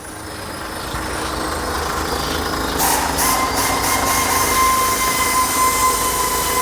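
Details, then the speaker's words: JAC J6 after clutch replacement (previously loud clutch noise, release bearing/pressure plate suspected disintegrated, gears wouldn't engage); engine bay at idle as pedal is pressed and fork actuates, no chirp or grind: normal clutch release bearing, shifting smooth. "Pode ver o garfinho acionando ali. Só. A embreagem aí ficou 100%."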